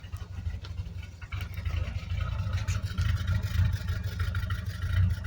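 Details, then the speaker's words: Home-built high-compression Triumph Spitfire 1500 (1977 block, ported 1300 head, small cam, twin SU carbs, Pertronix distributor, carb cheater) idling off the choke, not yet warmed up: a deep, steady, quick, even beat with no misses or stumbles; a clean, smooth idle. "I want to show you how good it runs off the choke now it's going to idle off the choke there we go runs like a sewing machine"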